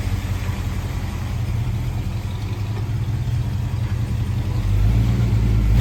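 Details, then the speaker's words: 1976 Ford F100 with a freshly installed 351C V8 after the timing adjustment: smooth, steady idle with a mild, even lope from a non-aggressive cam, rising slightly with throttle, no ticks or knocks; a healthy engine. "Not a super aggressive cam, which is good. That's what I wanted. I didn't want an aggressive cam. I wanted something that sounded good, but would still be not so radical."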